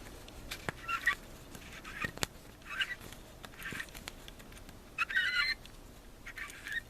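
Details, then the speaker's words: 4L60E transmission on the bench during a rebuild: short, high chirping bursts with light clicks as the freshly assembled low roller housing freewheels, which usually means a good roller housing; the anti-clunk spring is fitted next. "that little sound should be a good usually indicates a good uh roller housing"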